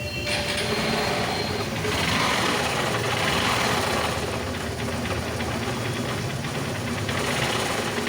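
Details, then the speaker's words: Honda Shine SP 125 BS4 motorcycle engine running: a busy, clattering tick at about three to four beats a second rides over the engine, an abnormal noise from inside the engine, before the engine is opened for repair. "Engine থেকে বিচি sound আসছে সাউন্ডটা কিসের জন্য আসছে কি কারণে আসছে সেই বিষয় নিয়ে আজকের ভিডিওটা"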